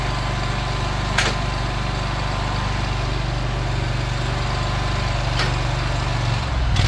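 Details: Craftsman Z6400 zero-turn mower after hydro drive belt replacement, revved up with blades spinning: steady, even low engine drone, no knocks or slipping squeal; runs smooth and healthy.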